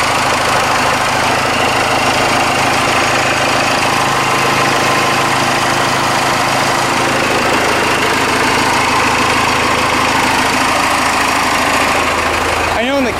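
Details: Ford F150 swapped to a Cummins 6BT diesel, started after fuel system work (front tank return line, new gaskets and hoses, air bled), about six gallons in tank: steady even diesel idle clatter, turbo whistle, no smoke, shakes the truck; normal idle.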